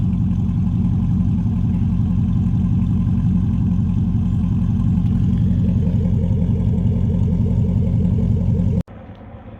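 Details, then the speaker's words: Truck with headers, cat delete and true exhaust idling; loud, deep, rough puffing pulses about three a second from a couple of exhaust leaks by the mufflers, owner plans to fix. "now i do have a couple exhaust leaks by the mufflers so i will try and get that fixed but here's what the truck sounds like no cats headers true"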